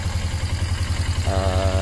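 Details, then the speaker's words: Motorcycle twin idling with a low, even thumping and a steady pulse, no stumbles, described as the good engine compared with another bike whose engine misfires. Normal idle. "but you can hear that engine that's a good engine compared to that engine that engine misfires"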